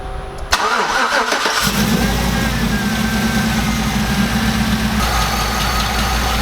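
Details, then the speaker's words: Chevrolet Silverado V8 after installing a cheap oil catch can made it run badly, now with breather removed and plug installed: cranks, catches quickly, steady even idle with light valve chatter; runs well again. "to like that much better. Yeah, I can hear that glorious valve chatter."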